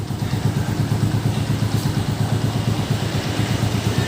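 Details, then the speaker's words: Honda TMX 125 at 3,847 km, after valve clearance adjustment: slow loping putter about three beats a second, idling around 1,000 rpm instead of 1,400; idle speed too low, adjust after warm-up. "yung Menor niya pag ganyan kababa 1000 or circulation niya is pangit so kailangan magad tayo ng idle"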